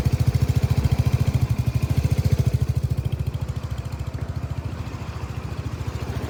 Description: Close up of the faulty misfiring Lexmoto Nexus 125cc